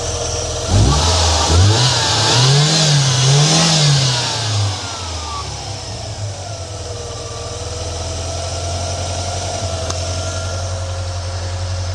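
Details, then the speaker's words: 1993 Ford Mustang Foxbody 2.3 Lima four-cylinder after new lifters and new fuel injectors, fitted to cure an idle tick: catches, revs cleanly up and down, then settles to a smooth steady idle with no misses, like a regular car. "Hey, it almost sounds like a regular car. This is great."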